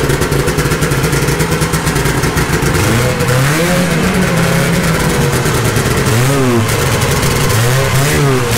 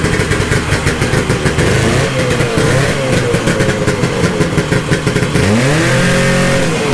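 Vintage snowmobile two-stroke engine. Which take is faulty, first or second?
first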